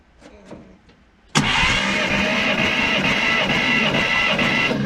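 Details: 1951 Oldsmobile 88 parts car, 303 V8, cold compression test: starter cranks evenly at about four beats a second for a few seconds; this cylinder reads healthy compression.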